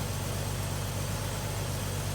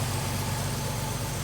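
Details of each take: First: Carbureted Chevy S10, heard near the exhaust pipes after vacuum leak fix, running smoother and cooler; steady even low idle without stumbling or hiss, normal idle. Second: Warm carbureted Chevy S10 after vacuum leak fix, still flooding slightly; idle mixture screws turned fully in bring only a little change when it should shut down; fairly even low burble, idle not responding to mixture adjustment, cause unconfirmed.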